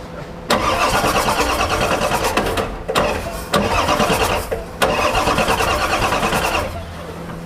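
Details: Ford 7.3 Powerstroke diesel putting engine oil into the fuel tank: three long bursts of fast cranking that catch and fire with no glow plugs. Fuel-diluted oil from leaking injector O-rings is burning.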